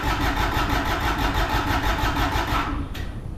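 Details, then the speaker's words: Kubota RTV1100 with D1105 diesel cranking on a jump pack at an even beat around three turns a second; some exhaust smoke shows it's fueling but it never catches and runs. "Got some smoke. Got a little smoke coming out the exhaust right here. That means we're fueling."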